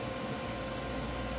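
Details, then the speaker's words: Gas furnace, inducer motor running on a heat call while a multimeter checks the pressure switch: steady whooshing fan drone, no switch click and no continuity; exhaust vent blocked, so no draft closes the switch. "so when this inducer motor comes on it she'll create the vacuum to cold the switch and the energize this circuit so which would give us continuity and she'll beep so we're gonna see okay then do some and do some more on nothing we don't have anything guys nothing"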